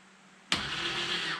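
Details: 2008 Arctic Cat Prowler 650 UTV, four-wheel-drive dash switch pressed; short abrupt electric actuator whir of about one second then stops: 4WD actuator engaging normally.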